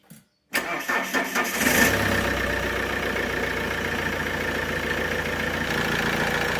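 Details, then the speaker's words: Alfa Romeo 147 1.9 JTD 8-valve diesel, hot engine, fault code P1320: short burst of starter cranking, then an uneven low rumble that settles; crank no start when hot, cause unconfirmed. "Today we have here a Alfa 147 with a JTD 8 valve engine. This car has a crank no start when hot."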